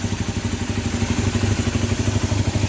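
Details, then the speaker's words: Honda CB250N twin, original engine resealed and refitted, first cold start with carbs needing adjustment: brisk even exhaust beat with light mechanical clatter, no misses; running normally. "sounding good yeah so uh I'll just make sure it's running okay"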